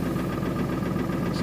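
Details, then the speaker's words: 2000 Ford Excursion 7.3 diesel at a cold start, with glow plugs and intake heater bypass-jumpered on: uneven, stumbling idle with faint clatter and a little white exhaust smoke. Misfire on at least one cylinder; a glow plug is suspected and knock hints at an injector. Cylinder 8 later failed the contribution test. "it's got a Miss in it now it's blowing a little bit of white smoke out of the exhaust right"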